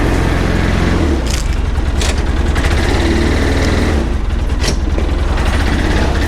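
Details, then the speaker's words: 2009 Polaris Ranger 700 EFI side-by-side driven through a neighborhood after repairs including a starter and an idling issue: a steady, low engine drone under way with even firing and no knocks or misses; running well. "I want to say two things. One, she's working pretty well."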